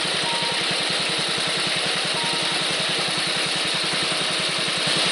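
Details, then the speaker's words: Small petrol engine, worn and clattering before, running again after an aftermarket HIPA carburetor was fitted, with a steady idle, even rapid firing beat and airy hiss. "the main issue was let's get her running I believe we have succeeded"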